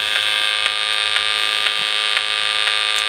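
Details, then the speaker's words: Cheap charge controller on a 24 V bank of four 125 Ah AGM batteries: steady buzzy tone with sharp clicks about twice a second, then a tone burst every 20–30 seconds while it should be passing charge; all five identical units do this; interference. "i say every 20 or so seconds maybe it's 30 seconds it does that and this is when it's supposed to be pushing through 100 connection but bizarre"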